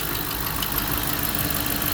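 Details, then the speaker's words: Hemi V8 at 163,000 miles, warm idle: steady petrol idle with a light periodic tick coming and going, not an exhaust or cold-start noise; a collapsed roller lifter that has chewed a cam lobe. "It wasn't a misfire. It's just that ticking noise."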